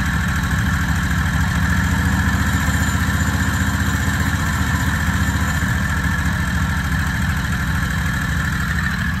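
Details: Predator 670 22HP V-twin golf cart engine, carburetor idle being lowered from about 1800 rpm toward 1200–1300. A steady, slightly quick twin-cylinder idle with an even pulse. Idle still a bit high.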